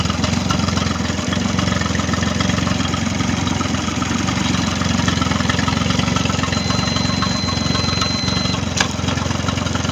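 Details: Mercury 25 hp outboard running after its no-start issue was fixed: it settles into a steady, regular idle putter of about four beats per second with no misses or knocking, and runs healthy.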